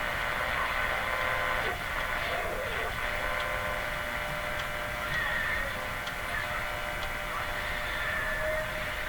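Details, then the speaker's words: RCA Victor Model 911KG radio after IF transformer alignment, with the antenna clipped in while tuning: a steady, even station signal with a low hum and no crackle, squeal or fading. It is receiving cleanly. "This will still show the uh signal strength. So it it sounds like this to me. Nice and smooth."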